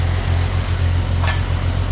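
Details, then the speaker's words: 1969 International C1100 pickup with Valiant 265 Hemi after fixing the earlier problem, no radiator fitted: deep, even rumble with no stumble or hiss, "sounds like a champ now"; smooth running. "Oh, that's better. Sounds like a champ now."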